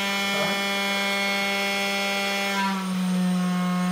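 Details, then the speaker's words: CNC wood-router spindle running at reduced speed: smooth, steady tone dropping slightly in pitch, with no grinding; quiet enough to work without ear protection, normal. "um exemplo nessa velocidade aqui ó eu já consegue trabalhar tranquilamente e como eu disse sem questão de ter aquele barulho"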